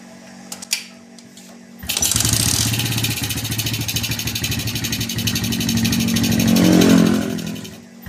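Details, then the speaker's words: Suzuki Smash motorcycle after repair of starter slipping and loose internal rattle when starting or kicking, related parts including double clutch: starter spins cleanly, engine catches and runs, no slipping or loose rattle; normal starter engagement. "Nah itu teman-teman sudah tidak Los dan suara yang longgar itu sudah hilang teman-teman"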